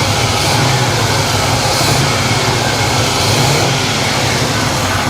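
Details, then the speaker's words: 1979 GMC Caballero V8, abandoned 8 years, running on probably half stale and half fresh fuel; no leaks, and the earlier heavy smoke has stopped; deep, even rumble with no misses; normal running. "It runs like a top and it's got rotten fuel. It's running off probably half a tank of rotten fuel and half a tank of clean fuel."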